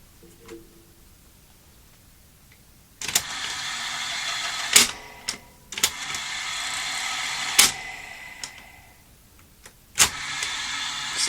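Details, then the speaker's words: Toshiba V5470B Betamax video recorder under repair, original logic board refitted: rewind not working; short bursts of motor whirring, each started and stopped by sharp clicks, but the tape never spins up; mechanism stuck, motor straining. "still not rewinding not happening unless isn't happening you can hear it's trying to well that's stuck"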